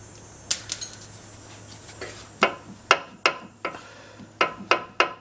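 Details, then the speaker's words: Custom steering shaft install: sharp irregular metallic clanks as the steering turns, the steering shaft hitting the exhaust. "You hear that banging? That's it. That's hitting the exhaust right there."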